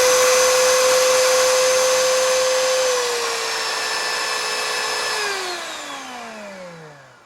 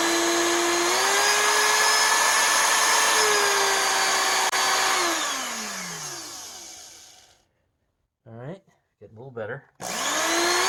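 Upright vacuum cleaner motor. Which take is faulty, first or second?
second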